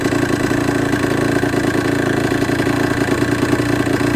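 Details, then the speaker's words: Suzuki RG F125 two-stroke with a fresh top end, lacking power and flat at 5k rpm: busy idle with loose uneven rattling clatter under the exhaust buzz; suspected noisy bottom end, and it seems to suck in too much air. "Right, instant thoughts. Flat at 5k. It sounds like it's sucking in too much air. Bottom end is noisy."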